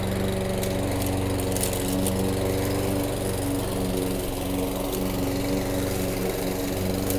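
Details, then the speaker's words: Toro Recycler 22-inch mower with replacement carburetor, started cold: catches right away and settles into a steady, even run; owner notes it starts slightly rich when warm, worse with a dirty air filter. "That's what it does, it still starts, but it starts kind of rich."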